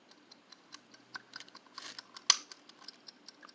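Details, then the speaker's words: Tork RFF60M timer switch that passed its continuity test (meter reading 2.3). Light, even ticking at about five per second in a quiet room; it keeps finishing its timer even when switched off. Working timer, compared with a rusted unit that fails. "Even when I switch it to the off position, which is off, it still finishes up its little timer."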